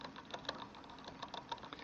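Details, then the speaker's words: 2018 RadRover electric fat bike, wheel turned by hand: light uneven ticking several times a second from chain rubbing a cog; rear derailleur misadjusted, being tuned until clicking stops. "I adjusted it just so enough it clicks and then what I'm going to do is I'm gonna keep turning the wheel and I'm gonna basically adjust adjust it while I'm turning the wheel until it stops clicking"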